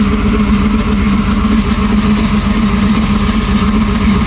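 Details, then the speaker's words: Car with problematic brand-new 4L60 transmission (to be swapped for another new one), check engine light on, temperature still good: deep, loud idle through open exhaust with mild uneven lope, no knocks or misses; healthy cammed V8 settling nicely. "Temperature still running good. Sound good though."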